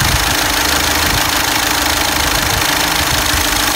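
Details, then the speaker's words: 2011 Skoda Superb Mk2 2.0 TDI diesel (engine CFFB), automatic, idling with fault code P0403: steady hiss and faint uneven ticking from the sticking EGR valve, before replacement. "the issue that we are having is requiring July 2 for the EGR valve and a EGR valve is making some noises"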